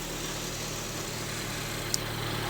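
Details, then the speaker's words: 2016 Honda HR-V with a brand-new engine, mass air flow sensor disconnected and check engine light on: a steady, even low hum with no knocks or misses. It idles smoothly and sounds healthy. "Car is running great right now. Idling beautifully. Brand new engine."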